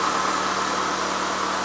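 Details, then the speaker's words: Abandoned 2006 Mitsubishi Lancer after a tune-up with new spark plugs, wires, coil packs and boots, A/C off; smooth, even idle with a steady low drone and no misses or knocks; normal idle. "Sounds good. She's idling perfectly. Hey, this is a great little car."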